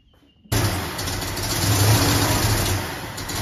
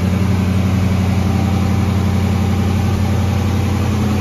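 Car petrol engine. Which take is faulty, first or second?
first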